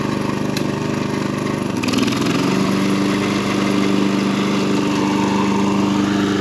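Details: John Deere 14SB mower after cleanup, new fuel line and new blade brake clutch bearing: the engine settles into a steady, even drone with a clean tone and no knocks or grinding from the blade clutch, running healthy.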